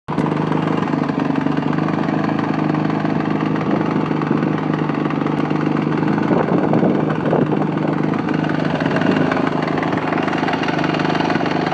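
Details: Yamaha YZ450F single-cylinder dirt bike idling after being dropped: rough uneven knock running through the exhaust beat, started right after the drop; cause unknown.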